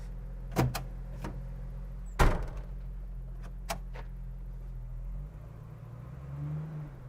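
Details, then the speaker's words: 1994 Jeep Wrangler YJ 4.0L inline six after head gasket job, backed out of shop; low steady idle hum with door clunks, no knocks or misses; previously ran rough, now runs smooth. "oh listen to that so good sounds like my old jeep the good old inline six"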